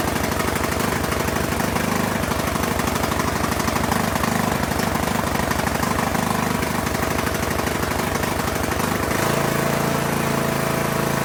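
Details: Poulan Pro PP175G42 riding mower that sat outside for years, key-started on battery cables, no milky oil: the single-cylinder engine settles into a steady, even idle with regular firing and no knocks or misses. It runs well, though the breather hose is disconnected.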